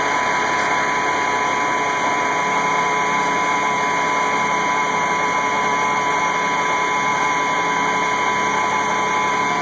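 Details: 1986 AM General M35A2C (7,331 miles, 260 hours) just started at 26 degrees after about 3 months sitting; constant, even diesel clatter and hum with no misses or knocks, a normal cold idle.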